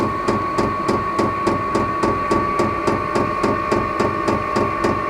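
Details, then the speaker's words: Vevor 12V 5kW diesel air heater fitted to a Baja Bug Beetle, starting up; crisp, even ticks about 3.5 per second over a steady hum: the dosing fuel pump feeding fuel normally before combustion. "hear that ticking that's that fuel pump starting to Pump Fuel into it hopefully it'll start combusting here soon"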